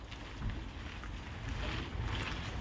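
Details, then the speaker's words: High-mileage Tesla Model 3, nearly 143,000 miles, driving after repairing the creaking front left upper ball joint: low soft rumble and wind buffeting with no creaking or groaning, fix worked. "it's done it's quieter all right well I'll call that a fix"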